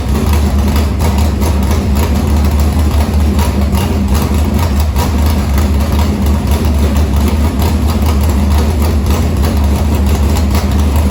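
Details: Harris race car's Morgan Machine-built open V8 (speaker thinks ~358 ci) with EQ heads, likely Edelbrock Victor Jr two-barrel intake and 85 carburetor, started after fuel line was reconnected; deep, steady, even lumpy idle, no knocks or ticks, normal idle.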